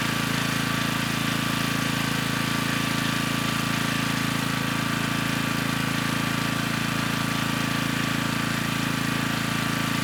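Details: Generac 3500 W generator, GN220 engine, after broken carburetor jet was replaced: steady, even small-engine drone at constant speed with no stumbles or surging; started with choke off, little smoke, running smoothly.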